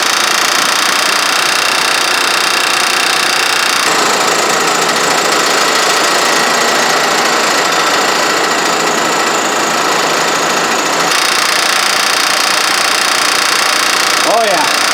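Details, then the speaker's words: Honda 3.5L VTEC (Odyssey/Pilot) at idle, listened at the timing belt tensioner: loud clattering rattle, three or four slaps a second varying with rpm; suspected blown hydraulic tensioner letting pulley slap. "I think that tensioner may be blown out, lost its hydraulic fluid, and then the tensioner pulley is just slapping."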